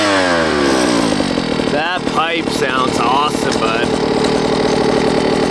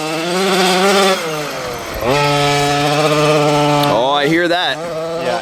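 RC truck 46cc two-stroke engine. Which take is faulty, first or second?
second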